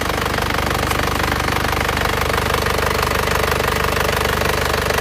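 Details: Isuzu Panther LS diesel after its engine was rebored with cast liners and its injector nozzles were serviced and adjusted, running Titan oil. It idles with a steady, even clatter of about two beats a second. It limped before; now it is clear, smooth and smoke-free.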